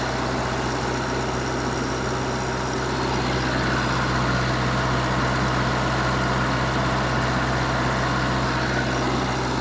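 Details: Wisconsin VG4D four-cylinder engine running on propane, driving a 15 kW Kohler 120/208 V three-phase alternator plus transformer, revived after auction: steady even low drone holding speed, no misses, knocks or hunting; normal running.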